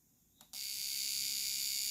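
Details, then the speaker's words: Fuel injector on a pulse box during off-vehicle cleaning: a sharp, high, fast buzz holding steady for about 1.5 seconds. The injector is pulsing normally. "so you can hear the injector it is working so that's a good sign"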